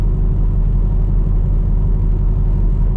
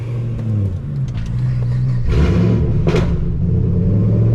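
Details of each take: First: 2010 Camaro SS under heavy load: deep, uneven low rumble throbbing about once a second, violent shaking feels like something stuck or broken. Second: 2010 Camaro SS after repair: pulls smoothly with an even rising note through the revs, no shudder or knock; drive feels much better.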